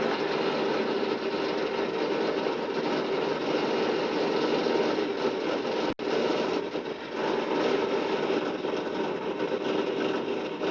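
Steady mid-pitched motor drone with even cutting noise throughout, a brief dip partway; the drill sounds healthy and unstrained.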